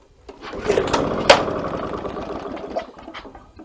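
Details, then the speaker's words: Victa Power Torque VE40 two-stroke mower, fuel flowing, new spark plug, good compression, primed: fires in a ragged burst of pops then quits within seconds; starts and stops straight away. "so still the same thing the engine starts and stops right away now what do you think is the problem"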